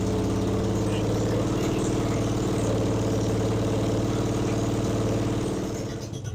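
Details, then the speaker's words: 1977 Yamaha XS650 chopper at idle on its first start after revival, with plugs, wires and coil wires in, timing and valves set: steady, even low thump with firm pulses, no knocks or misses; runs well. "now that sounds good"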